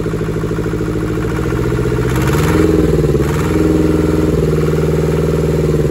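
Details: Deutz F2L511 air-cooled two-cylinder diesel from a forklift, first start after sitting about five years; even idle chug that briefly picks up revs and settles back with no stray knocks; runs fine.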